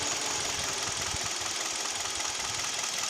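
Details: Kia/Hyundai G4KD Theta II petrol engine, recorded from inside the cabin: irregular light knocking over hissy running that continues with A/C compressor and heated mirrors, glass and seats loading it; owner suspects piston knock.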